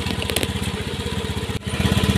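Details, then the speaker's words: Honda Beat FI scooter fitted with a Vario 125 injector and a new injector filter, after complaints of high fuel use, hesitation and sputtering. The small single settles into a steady, even idle with no misses; scan data later showed 103°C engine temperature and 2.33 ms injector duration, a normal idle. "Nah sekarang kita hidupkan motornya starter kondisinya hidup tapi nanti kita colokkan lagi scaner kita lihat untuk data"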